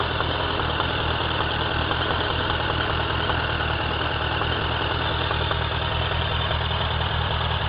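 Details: Warm idle on a 2003 Suzuki Bandit 1200 K3 with 29k on the clock: a faint, fairly regular light knock, about three per second. It appears only when warm, stays with the clutch pulled, and is inaudible under load. Present nearly a year and worsening; no power loss. Cause undetermined.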